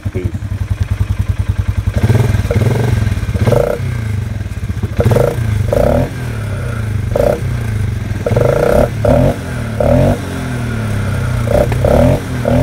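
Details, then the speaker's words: 2019 Polaris Sportsman 500 HO with newly installed trail snorkel on the intake: repeated throttle blips, each with strong breathy intake rush as revs rise, engine drawing air hard; normal intake sound. "I don't know if you heard that or not, but it's sucking. It's sucking pretty hard. That's That's what I wanted."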